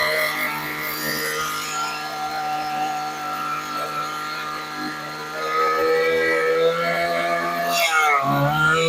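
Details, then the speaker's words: Old Weed Eater LT7000 15-inch two-stroke trimmer, after backing out its single high mixture screw about a quarter turn: steady clean even buzz rising smoothly near the end; runs really good. "Thing still runs. Actually, it runs really good. Nice for an old vintage weed whacker."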